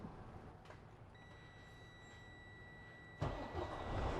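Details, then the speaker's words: Detroit DD15 diesel truck with a no-start after fuel filter change, primed with priming tool, clutch down: faint steady tone, then the engine catches at once and settles into an even idle; normal start. "away it starts up so we got the truck Punk up"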